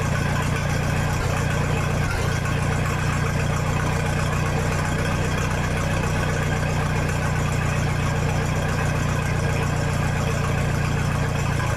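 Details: 1966 U302 after corrected rebuild issues, out under its own power: loud raw unmuffled exhaust with even, steady low throb at idle, no misses or knocks; normal healthy idle.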